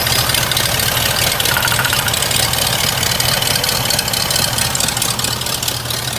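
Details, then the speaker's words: Old hearse V8 with new exhaust, warming at idle, some black smoke on startup: irregular stumble with strong hiss over the rumble; PCV valve hose collapsing on itself, vacuum leak rough idle, needs new hose. "That PCV valve hose is not right. It's like, it's sucking itself. I need to get a new hose for that. That's not good, because now you're not getting your air that you need."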